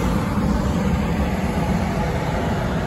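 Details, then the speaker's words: Coleman Presidential DG807BDTA mobile home furnace after pressure switch replacement: burner on, then blower comes on with even, steady air rush over low hum, no rattles, squeals or surging; furnace running normally. "so we're just waiting on your blower motor to come on and um once that comes on then it should be okay the the burner's on right now so it's the the heat's on because we're waiting for the fan to come on now"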